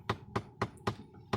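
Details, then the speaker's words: VW Polo, blower switched on with AC: sharp regular tapping about four times a second over soft blower hum, coming from the faulty flap (blend door) actuator motor. "ये इधर एक flap का motor लगा रहता है, वो flap का motor से इसका आवाज़ आ रहा है।"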